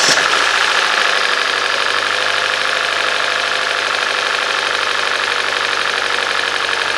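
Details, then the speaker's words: Hyundai/Kia 2.0 engine first start after timing chain, sprockets, VVT solenoids and exhaust camshaft replacement, long sat idle: rough uneven idle with light fast ticking and a misfire. "That's running pretty good. I see a little bit missed. I hear a little slight ticking, but the misfire just came in."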